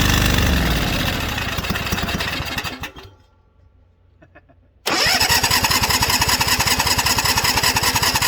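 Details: White LT542G riding mower that was running rough, drinking gas and getting fuel in the oil: ragged running, fades and stalls, then chugs unevenly on restart. Throttle linkage was binding; starving from a missing carburetor main jet.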